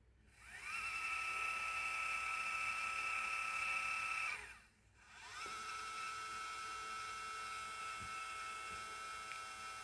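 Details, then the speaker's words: Celestron NexStar 4SE telescope mount altitude (tilt) drive motor after disassembly and oiling gears: smooth steady high whir, brief stop then running evenly, no grinding; normal after fixing dry, loud motor. "Definitely a lot better. And that sounds like it should sound."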